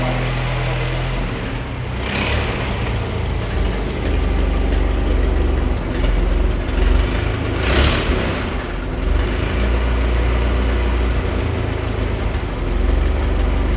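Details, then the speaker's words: Ford Model T, 2.9-litre four-cylinder side-valve engine, running on magneto: low, soft, even chuffing idle, steady with only mild swells and no knocks or misses; runs sweetly. "there we go on Magneto's that's very beautiful"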